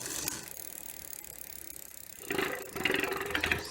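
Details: Barracuda dual-suspension trail bike on a stand, chain and gears sprayed with WD-40: cranks spin freely with light, even freewheel ticking, no grinding or squeal; chain drivetrain now runs smoothly.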